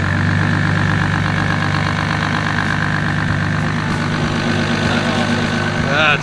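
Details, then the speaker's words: JZ-swapped BMW, first start-up, cold engine around 80°, running on old ethanol fuel: deep, even six-cylinder burble holding a steady idle with no misses, knocks or hunting; running smooth. "there we go smooth girl smoo baby not bad"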